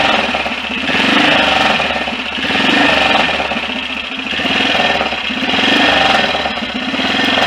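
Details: BSA DBD34 Gold Star 500 scrambler single, after carburettor work: steady idle thump gently surging; earlier dry scraping gone, likely just something touching; normal idle.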